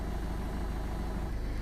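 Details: 2005 Land Rover Freelander TD4 diesel in limp mode with code P1260, after replacing the faulty fuel pump and priming: steady, even idle with deep low rumble and no knocks; fuel pressure now holds when revved.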